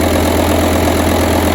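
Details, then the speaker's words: 2006 VW Touareg V10 TDI diesel after new batteries and tune removed: starts badly and idles with a coarse, lumpy low drone, struggling as if on half the cylinders; low voltage, suspected ECM communication or electrical problems. "starts up terrible too so before it would actually sound decent when I started up this one it sounds like he's really trying to struggle"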